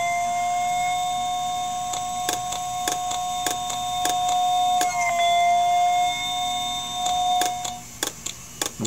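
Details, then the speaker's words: IBM "DeathStar" hard drive heard through an electromagnetic telephone pickup coil: a steady electronic whine broken by sharp clicks as the voice coil slams the heads back to the stops and retries. The motor dips and recovers, and the drive can't load its firmware after spin-up, so it is dead and never comes ready. "hearing there is the hard drive the heads resetting see if we can find the voice coil so that's the heads moving back to the position back to the stops and then trying again"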